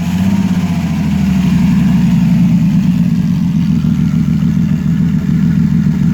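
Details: 1989 Ford Falcon EA, port-injected, distributor and coil pack; it runs only with the key held in crank and the starter still whirring, and dies when the key is released. Rough, stumbling beat; owner suspects the coil pack. Engine misfire.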